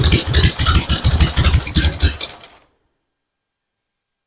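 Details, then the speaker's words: 1974 Harley-Davidson Ironhead Sportster chopper after ignition work restored spark, battery at 12.8 V: loud, lumpy off-beat lope with firm, even pulses, much smoother than before; normal idle. "okay I'm happy with that sounds a whole lot better it's a whole lot smoother it's got a good L to it now"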